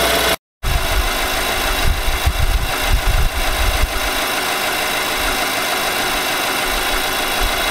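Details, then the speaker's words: 2018 Nissan Armada 5.6 L V8, cold start before short block replacement: idle with a heavy, steady diesel-like engine knock; knock from a scuffed cylinder wall, later fixed with a new short block under a TSB. "i did a knock engine knock video where the engine was sounded like a diesel pretty much"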